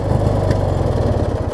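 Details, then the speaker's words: Craftsman riding mower with a 19 hp Briggs & Stratton Opposed Twin, after a new ignition switch, battery and spindles, restarted: a steady, even low putter with a regular firing beat and no misses or knocks; it idles cleanly. "But this is about as good as this one's going to get, I think. Runs fine for what it is."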